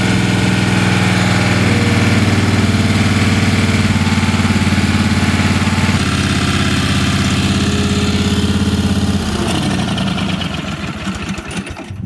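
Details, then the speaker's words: Ingersoll 448 lawn tractor, Briggs & Stratton 18hp Vanguard V-twin, after replacing the choke lever assembly: starts every time, steady even beat with no misses, then winds down. "now that the choke lever has been fixed the engine fires up every time"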